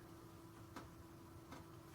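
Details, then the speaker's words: 1987 Pontiac Firebird Trans Am fuel injector, stuck, driven by pulsed injector driver: faint steady hum with soft clicks about every 0.75 s, silent before; sticky injector only just starting to open. "hear it barely it wasn't making any noise before so it did open up a little bit okay so I got it working a little bit"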